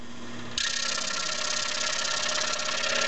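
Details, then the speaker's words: Scroll saw started and running after blade tension set correctly (high-pitched pluck); motor hum with a steady, fast, even chatter of the blade stroke. Normal running with correct blade tension. "there we got a nice high pitch sound [Music] there that's good for tension as it is right there"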